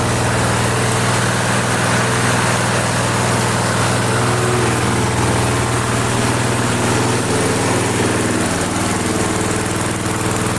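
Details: Flea-market lawn mower, Briggs & Stratton 5 HP single, primed three times, half throttle: smooth steady drone at constant speed with no misses, surging or knocks, runs great. Normal running.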